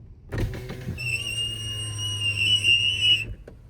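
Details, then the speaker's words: Sustained high squeal over the power window motor's hum as the glass travels, caused by dirt and dust in a dry window channel; fixed by blowing out the channel with compressed air and applying silicone lubricant. "First, I use an air compressor to clean out the window channel where the glass moves up and down. Dirt and dust usually builds up inside this area and cause the squeaking noise."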